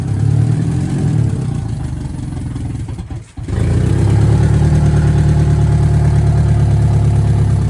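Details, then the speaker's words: VW Mk2 Scirocco 16v with CIS injection, first run after 20 years, no exhaust fitted: loud open-exhaust idle surging and stumbling, nearly dying before recovering; rough, hunting idle. "Um I'm not really sure what it's doing. It's kind of all over the place, so Well, is it has no exhaust, so No exhaust and no uh oxygen sensors?"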